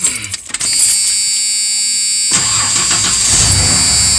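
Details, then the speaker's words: 1995 Ford F-150 4.9L straight six, 201,347 miles, bouncing tachometer and misfire/stalling complaint, tach now fixed: short crank, clean catch, steady idle near 800 rpm with a faint whine, no stumble. "I fixed it by the way anyway as you can see the tacks are in the and it's running great"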